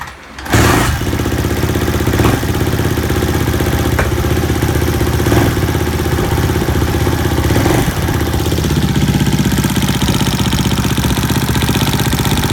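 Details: 2012 Suzuki RM-Z250: quick, busy idle with a light, fast tick riding on the exhaust beat; ticking top end, cause not pinned down.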